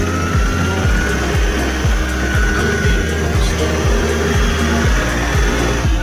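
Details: Toyota 1Z engine just cold-started, running unevenly with stumbling beat and white smoke; misfire, coolant possibly entering cylinders suspected, needs warming up to check.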